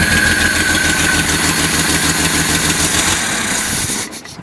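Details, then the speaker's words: Datsun Z twin carburettors, uncleaned, accelerator pumps working: steady lumpy idle that won't rise before dying away; engine will not come off idle, owner suspects clogged jets or float bowls not yet full. "I don't want to come off idle. We have some clogged jets and stuff."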